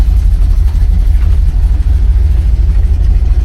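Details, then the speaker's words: 1970 Oldsmobile Cutlass, Rocket 350 V8, warming up at about 52 °F with the hood not fully shut: an even, deep burble at idle with a steady low rumble and no knocks, ticks or belt squeal, healthy. "Motor sounds strong. I don't hear any belt squealing or any other rattling or anything."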